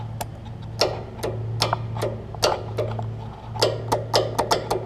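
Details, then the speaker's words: Lowe's riding mower converted to a lawn and garden battery. About a dozen sharp, uneven clicks with no cranking: the starter solenoid is bad and not passing power to the starter. "we now we know he had a bad solenoid this was fine you hear it click and it's just not kicking it over it's not kicking the power to the starter"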